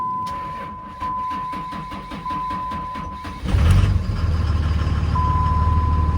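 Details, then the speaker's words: 2003 Dodge Ram 3500 Cummins turbo diesel with 559,000 miles: labored slow cranking, about four heavy compression beats a second for over three seconds before it catches. It has never failed to start; slow cranking from a worn starter. "It has never not started, but it's feeling a a mighty bit scary with how slow it cranks."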